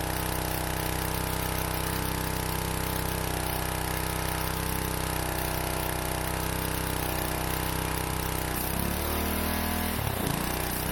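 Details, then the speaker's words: Pressure washer bought 15-20 years ago, used briefly, then stored unused in a shed for about 15 years, starting for the first time since: steady, even small-engine drone with a firm low hum, no misses or knocks; running normally. "yes we got it that is awesome this thing hasn't run in like 15 years that's fantastic that is fantastic"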